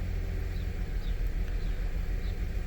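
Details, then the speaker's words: 2006 Ford Five Hundred 3.0 L engine idling rough: uneven, loping stumble, scanner shows cylinder 1 misfiring with cylinders 2 and 3 slightly, car shakes; complaint also shaking above 45–50 mph; spark plugs and ignition coils to be replaced. "right there where the number changes, misfire, and you can feel it shaking. You see the difference between all the other, even 2 and 3 are kind of doing it too a little bit, but not as much as number 1."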